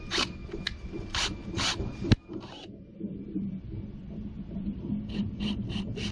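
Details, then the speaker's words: Drain cleaning machine's spring-wound steel cable spinning between catch basins in a French drain installed 2015 that backs up in heavy rain. Rough rasping bursts as the cable scrapes the pipe; a small stoppage is suspected but not confirmed. "And you know what? It does sound like there is a small stoppage between this basin and the one we just looked at. I can hear it."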